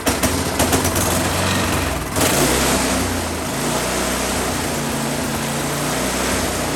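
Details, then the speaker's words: Husqvarna 10530 SBE snow thrower engine, sat about 4 years, carb still had fuel, run with choke on: pitch wanders, dips and picks back up, hunting/surging; owner guesses clogged carburetor idle circuit, ran better at full RPM. "Kind of hunting or surging, I think probably the idle circuit in that carburetor is what I'm going to guess is maybe needs to be cleaned out."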